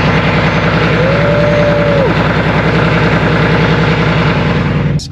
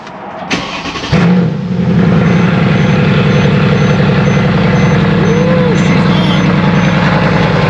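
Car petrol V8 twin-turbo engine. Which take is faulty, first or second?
first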